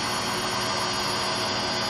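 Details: Hotpoint Aquarius WMA58 washing machine on spin: constant loud rushing roar with a steady hum underneath; worn motor bearings and drum bearings.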